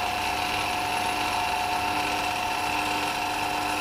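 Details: CDE/HyGain Ham2-4 antenna rotator just serviced (strip cleaned, glass bead blasted, motor start capacitor moved into rotator, automatic 3-second brake): steady, even motor whine with light gear chatter, no knocks or binding; turns smoothly.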